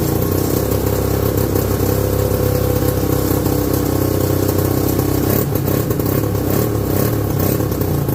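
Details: 1969/70 Sears snowmobile, single-cylinder Kohler two-stroke, sat outside a year, first run after revival: busy buzz at fast, slightly ragged idle with flutters and blips; owner says it's sucking air, running lean.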